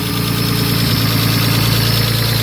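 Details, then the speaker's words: Nissan Skyline R32 RB20, first start: steady idle with fast light ticking keeping pace with the engine; noisy fuel injectors. "noisy injectors by the time of that"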